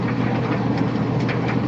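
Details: Old Kenmore Series 70 dryer after repair, with the belt refitted and the roller now spinning on its pin instead of the pin spinning: a steady low drum rumble with soft tumbling and no squeak.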